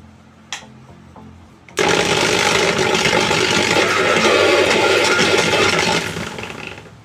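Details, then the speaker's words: Preethi mixer grinder motor spins up with a harsh, loud rattling buzz and shaking, steady until it winds down; cause is a faulty, worn motor bearing, to be replaced. "மிக்ஸியோட sound கேட்ட சும்மா அதிருது இல்ல. காரணம் என்ன பாத்தீங்கன்னா, இந்த மிக்ஸில இருக்கக்கூடிய bearing fault ஆனதுதான்."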